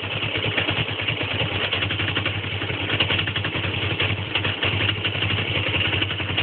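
Lumpy, uneven idle with a clattery, wavering beat and no steady rhythm; the engine is running rough, cause not evident.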